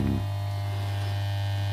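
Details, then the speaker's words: Budget valve amplifier playing music: constant low hum with a buzzy edge that never changes. Source not yet traced. Mains hum. "There's a bit of humming, isn't there? Where's the humming coming from?"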